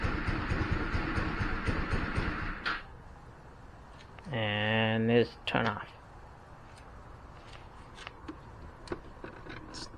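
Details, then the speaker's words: GY6 150 scooter after sitting a week, battery and spark plug checked good: engine runs a few seconds, rpm sags and dies, restart attempt fades too; owner suspects fuel starvation from a clogged carburetor main jet. "so turn it on trying to start start rpm struggling"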